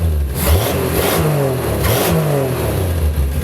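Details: Field-find car after replacing a carbon-tracked distributor cap: the engine picks up cleanly through a couple of quick blips and settles with no misses; healthy revving, though the carburetor still needs some help, possibly load adjustment.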